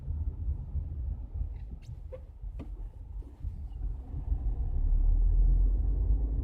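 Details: Skoda Octavia while driving: low road rumble with a couple of sharp single knocks about half a second apart coming up from the suspension.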